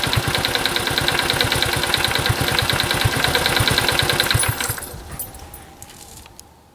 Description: カブ エンジン異音 カチカチ音 走行距離65000km圧縮測定